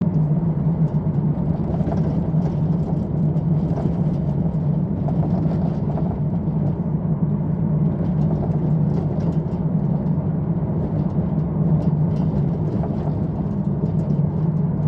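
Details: VW Transporter van driving on the road with a Fabworx Static 1200mm Immix rock and roll bed: steady low road drone inside with scattered light irregular rattles and clicks from the bed setup.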